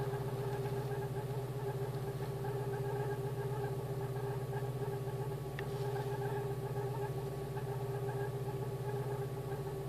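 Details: Idle of a VW Polo CL (86C) with the AAU engine after repair of a defective Hall sender; steady, even idle with a smooth low hum and no misses, knocks or ticks, running cleanly.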